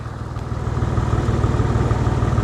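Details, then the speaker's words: 2000 Porsche 911 (996), flat-six, exhaust heard at idle. A steady, even, low pulse and a clear exhaust note with no metallic rattle: normal, healthy idle. "Let's go check out how the exhaust should sound. Should be clear."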